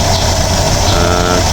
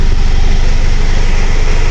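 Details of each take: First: 2010 Mitsubishi Strada 4D56 diesel after a new relief valve and a new suction valve assembly: a steady, even idle that no longer shakes. Repair successful. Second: 2010 Mitsubishi Strada 4D56 diesel before repair, with hard starting, low power and EGR codes U1102/U1101: a deep, uneven throb with a shaking, rough idle. The cause is not yet confirmed.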